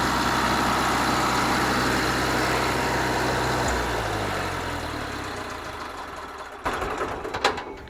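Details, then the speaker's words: Wisconsin VG4D engine on propane driving a 15 kW Kohler 120/208V three-phase alternator: steady even idle hum winding down smoothly, then handling clicks and knocks; normal running. "so you see now she runs just fine"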